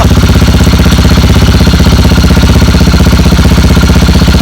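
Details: Motorcycle without kickstarter, with a bad battery, idling after its second start using a small jump starter grounded to the chassis. Steady, even thumping with no misses or knocks. Normal idle.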